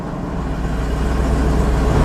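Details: 1998 GMC OBS truck after replacing the security wire to fix a no-start problem: engine starts and runs with a smooth, steady low rumble that holds even when shifted into reverse and drive, with no misfire, knock or rattle.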